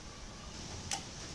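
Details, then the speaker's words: DBAudio 502 amplifier after repair of a rattling protection relay: quiet hum, then after the startup delay one crisp click with no chatter; relay now engages cleanly, no more rattle. "So papakita ko sa inyo na hindi na nag-rattle yung relay section natin. So power on natin. Pakinggan natin kung may rattle pa ba."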